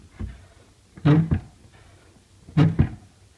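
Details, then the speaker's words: Dry cabinet door hinge creaking with short, low groans as the door opens and closes, before lubrication with hybrid silicone grease UNI-S, which noticeably reduced the squeak. "так вот работает у меня дверка шкафа и дела В этой фурнитур смажена мы её силиконовой гибридной силиконовой смазкой UN где-то там она скрипит"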